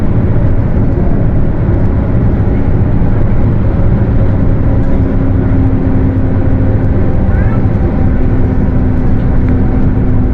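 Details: Mercedes-Benz OF 1721 bus, Torino S body (Viação Estrela 100.141), while moving: steady drone with a low hum holding at one pitch; the differential is roaring.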